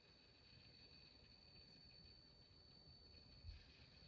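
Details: Emotiva A-300 power amplifier with a faint, constant high whistle over a soft hiss during operation, unchanging throughout; cause not identified.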